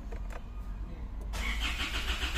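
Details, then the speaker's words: 2016 Isuzu MU-X that died while driving and ran intermittently, after key and battery replacement with a suspected loose connection and shaky RPM: the starter churns steadily but the engine never catches; it cranks but won't start. "Ayaw talaga pumalo pre. Pusang gala."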